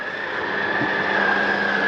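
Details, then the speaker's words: 2021 Mesa Ridge 355MBH, dinette slide-out retracting; steady electric motor whine with faint rough chatter as the slide bottoms out, mechanism stopping itself at full travel, normal and not grinding. "once you hear that it is okay to hear that that is the slide mechanism telling itself not to come in any further"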